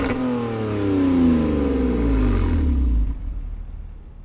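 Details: BMW E46 drift project car just restarted after sitting three months, idling smooth. Pitch climbs cleanly on a throttle blip and falls back evenly with no misses or knocks: smooth, healthy revving.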